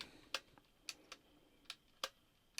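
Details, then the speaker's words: 1980s Sanyo MGR87 auto-reverse personal radio cassette player after belt replacement, no tape loaded: sharp dry clicks about every half second, six in under three seconds; the auto-reverse keeps changing direction and never settles. "okay it keeps getting stuck in Direction Change mode is that because there isn't a tape in there let's have a look no no it just keeps changing direction"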